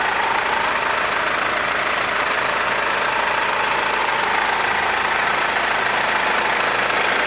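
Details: Mercedes W204 engine after timing chain replacement: a steady, even idle with a light, regular valvetrain tick and no chain rattle; normal, healthy running.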